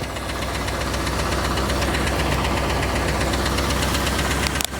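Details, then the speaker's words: Chevrolet Camaro IROC engine at idle, mic moved around inside the engine bay: loud fast ticking about four per second, like a clock factory, with a duller clacking noise underneath; source inside the engine not pinned down. "This thing sounds like a clock factory going off inside. There's so much ticking and clacking going on."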